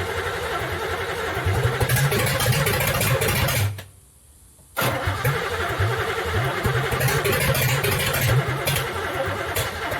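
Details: Third-gen street car with carburetor, after EGR block-off plate and third set of plug wires, refuelled, battery dying: fires, revs roughly, dies, restarts and surges unevenly; won't keep running; carb has no fuel pressure, timing uncertain.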